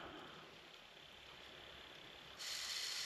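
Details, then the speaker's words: PSP 3000 Slim after lubricating the loud UMD drive with silicone oil on a cotton bud: faint steady high whir as the disc spins up, no rattle or grinding; drive now runs quiet and normal. "That sounds better. Are you kidding me? Is that all it was?"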